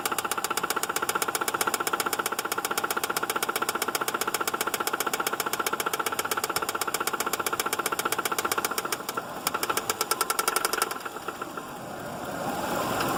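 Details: 2006 Subaru Outback engine: steady tapping knock at almost four per second over the idle, fading out as the engine is shut down; cause unknown.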